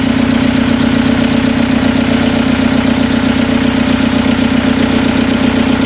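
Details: Toyota pickup with swapped TDI diesel, first start after head gasket replacement, injectors primed, before warm-up and pump timing adjustment: steady, even diesel clatter at idle, regular beat, no misses or knocks.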